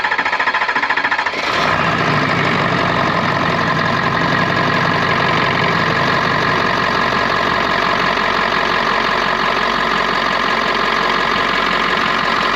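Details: 6.7L Power Stroke diesel after fuel line replacement, restart after fuel leaked out on an earlier try: brief cranking, catches in about 1.5 seconds, steady even diesel clatter at idle; runs normally.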